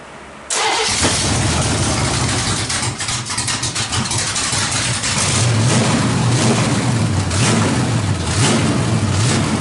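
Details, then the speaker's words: 350 V8 with a big cam and no exhaust fitted, just fired, timing likely needs setting: cranks, catches instantly, then a loud choppy lopey idle through open headers, running clean and strong. "that motor sounds great"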